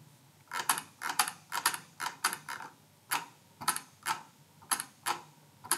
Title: 結構うるさいMX Master 2Sのホイール - PC Watch